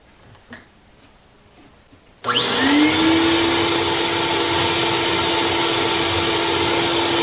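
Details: Craftsman 12-gallon wet/dry shop vac after cleaning debris out of the clogged fan blade and filter and opening the baffle: motor spins up in about a second to steady rushing airflow, even hum, no siren whine; strong suction, normal.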